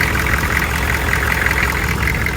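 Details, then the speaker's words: 6.5L diesel dually just started in the cold using a block heater, after a major fuel leak repair: rough diesel idle with faint, fast ticking in the clatter, owner suspects an exhaust leak partly near a glow plug. "I still hear a little bit of an exhaust leak. I'm going to bet it's probably due in part to uh the glow plug off right there."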